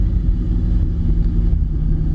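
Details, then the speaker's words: 1986 Pontiac Fiero with swapped Buick 3800 supercharged L67 V6: low steady idle returns a little slow after a rev but no longer surges, where it previously surged badly almost to dying and to 2500; owner thinks O2 sensor involved. "it a little slow but it doesn't go into surging and before the main problem before I got it to this point is that it would just surge really bad"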